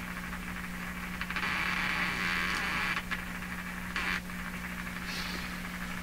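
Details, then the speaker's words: Hallicrafters SX-122 receiver tuned to 4 MHz: steady hiss over a low hum with only weak noise and no signal at the output; a badly biased tube or missing bias or B+ is suspected. "that really sounds like I terribly biased tube or tube tube missing its bias or missing its B+"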